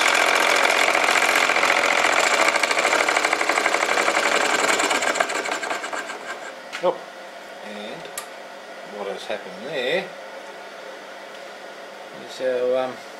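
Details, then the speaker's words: Solenoid motor built from weed whacker crank and case, running on 24 volts: fast harsh clatter about four beats a second, then dies; untightened gudgeon pin screw let the pin slide out and rub the barrel. "gudon pin has slid out and uh rubbing on the side the barrel so um I must have forgotten to tighten that up"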